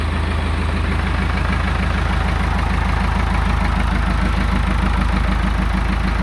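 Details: Ford 655D/555E/555C backhoe diesel, first start-up after rebuild with air bled from fuel system; rebuilt hydraulic cylinder not leaking, hydraulic pump not yet hooked up. Steady even idle with regular low combustion knock, runs well; normal idle.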